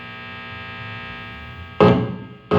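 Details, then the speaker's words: Electric guitar at high volume, microphone in front of amplifier: steady amplified buzz swelling into loud harsh bursts as pickup near LED lamps picks up electrical noise by induction. "Ele vai captar e vai amplificar esse ruído elétrico aqui. Ele tá só, entre aspas, só por indução. Ele tá só pela indução ali do captador próximo às lâmpadas."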